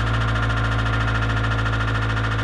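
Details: Honda B16A engine knock at idle, persisting after clutch released and shifted to neutral: fast, even tapping knock riding on the engine note; source not pinned down.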